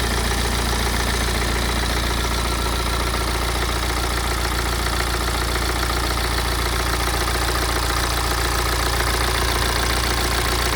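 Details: BMW E87 116d, N47D20C diesel, 220,000 km: steady diesel idle with loose, uneven rattle at about two to three beats a second; engine rattle at idle, owner suspects dual mass flywheel, unconfirmed.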